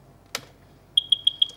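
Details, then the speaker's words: EVM beeping normally after a button is pressed: a button click, then a steady string of high, short beeps, about six or seven a second, prompting to enter the ward number. "Enter ward number और beep beep की आवाज आ रही है"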